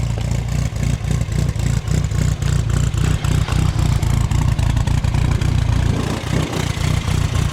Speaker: It drives very nice and super. I hope you hear it. Everything's cool.